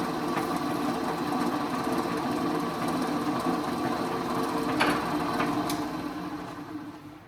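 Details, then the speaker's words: Old Rockwell Delta drill press after repair of severe spindle runout, Forstner bit fitted: steady, even motor hum with a clean spindle tone and no wobble or rattle as it winds down; runout much improved, normal running. "all right so that was a very unscientific method of uh testing the run out on that guy but i can just tell it's like it it's so much better"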